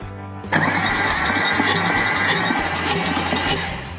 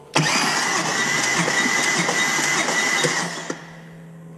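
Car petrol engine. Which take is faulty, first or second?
first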